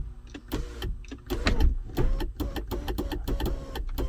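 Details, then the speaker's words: 2014 GMC Sierra SLT 4WD 6.2L L86 with intermittent sunroof: the motor whirs in short stop-start bursts with clicks between and never runs steadily; a faulty sunroof switch sharing the motor ground is suspected, a bad motor assembly also possible. "okay see now it's working but not correctly look at that what in the world"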